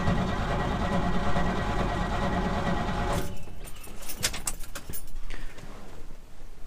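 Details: 1988 Chevy R30 dump truck, cold, stored outside, carbureted, fuel pump running and battery gauge up: engine grinds over slowly about three seconds, never catches, then stops with a few clicks; weak crank, no start.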